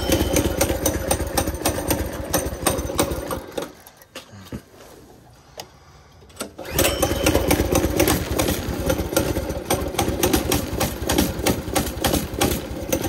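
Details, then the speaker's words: Baja Warrior small single-cylinder, long-sitting, first cold start after a zip-tie fix, chugs unevenly at about four pulses a second, nearly dying midway before picking up. Owner suspects a dirty carburetor and the cold engine. "Let's see how it goes now. Probably need to clean the carburetor. It's been sitting a long time."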